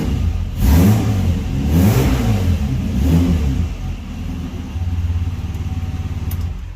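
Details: Nissan Patrol GQ with RB30 six, still cold, just revived after rewiring, new power steering pump and radiator: three clean blips rise and fall smoothly, then a steady, even idle with no knock or miss. Healthy engine.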